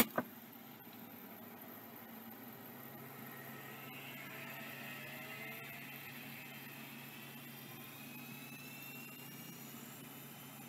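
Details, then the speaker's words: Vintage Miniscribe 3085 hard drive: a click, then a steady whir with faint tones climbing as platters come up to speed; spins up normally and works. "really cool sound I think that's working oh yeah that's working nice that's a good addition right there"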